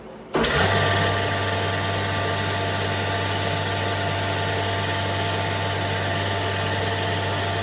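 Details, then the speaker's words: Becker VTLF 250 (VTLF 2.250) dry rotary vane vacuum pump for CNC router table, after basic maintenance and rotation check: switches on, smooth even low hum with steady airflow hiss, no knocks or rattles; normal running. "so overall very happy with how this turned out pump sounds good"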